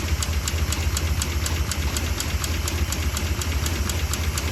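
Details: Junkyard 1959 DeSoto V8 after replacing burnt, pitted points: sharp metallic snaps about four a second over a lumpy idle, a loud snap from the valve cover, smoking after sitting; valve train ticking, dropped valve suspected, not confirmed.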